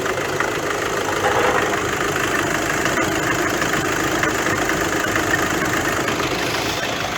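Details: Car with 7-speed DSG, cold start at idle: uneven metallic rattle over the engine note, not tied to a clean beat, with shaking felt; worse on cold mornings. Worn dual-mass flywheel, being replaced; play to be checked once the gearbox is removed.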